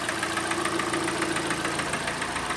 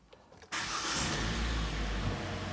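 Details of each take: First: Kia Sportage G4NA 2.0, about 134,000 km: heavy, rapid, regular metallic knocking over idle; piston slap from worn pistons and bores, with bearing wear too. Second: 2014 Kia Sportage G4NA 2.0 engine, first start after repair of severe piston knock, at 134,000 km: brief crank, catches at once, steady even idle with no misfire or knock and no warning lights.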